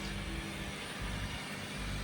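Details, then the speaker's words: 2013 Lincoln MKZ Hybrid after replacement with rebuilt transmission (failed transfer gear bearings/differential caused grinding): low even drivetrain hum, no grinding or whine; quiet and healthy. "Great running car, put 35 miles on it. Everything's running good, it's going back to the customer."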